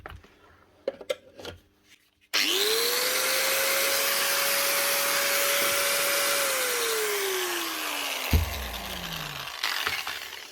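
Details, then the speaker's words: Grinder number two from a fishing-boat repair box, rusty from boat use: spins up to a steady high whine with smooth, even motor noise, then winds down cleanly, no rattles or grinding. Normal running. "Nothing wrong with number two. Move on number three."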